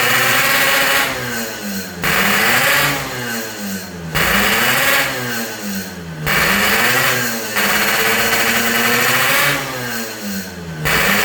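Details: Yamaha RX King two-stroke after repairs for compression loss (worn right crankshaft seal and O-ring, resurfaced block, fixed head leak), air-screw tuning: blipped about every two seconds, revs rising and falling crisply, clean return to idle; healthy.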